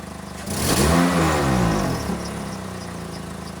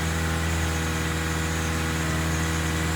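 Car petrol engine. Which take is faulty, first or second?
first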